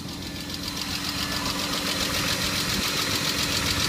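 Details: Cold-start hydraulic lifter tick on a BMW E34 520i, before adding Resurs Next additive: quick, even light tapping about three to four per second over the cold idle.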